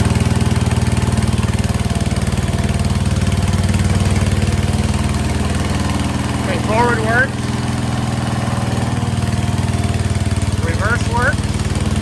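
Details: 1968 Case 155 garden tractor, revived: steady, even single-cylinder beat with a smooth low drone and no misses or knocks; running well.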